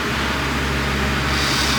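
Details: John Deere 4450 tractor A/C blower motor, reinstalled after its armature was cleaned and polished: a steady rush of air over a smooth, even motor hum with no scraping or chirping. Considered fixed; normal blower motor running.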